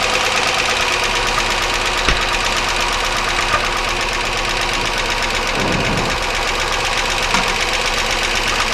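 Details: 1999 Chevy Malibu, 3100 V6: steady, fast, light internal knock over the idle; pulling plug wires one at a time slows the idle but the knock doesn't change, so the source is not pinned down and only suspected.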